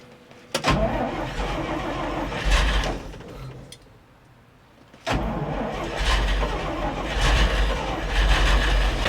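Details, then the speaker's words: Circa-1952 REO dump truck straight-six, sitting over 22 years, first start on a temporary fuel system with a squirt of starting fluid: cranks, catches after a stumble, then a steady low barely-there idle while building air pressure; running normally. "Yeah. It's going. It's running. Is it building air pressure? Oh, it is. It's building air pressure. Feel it idle."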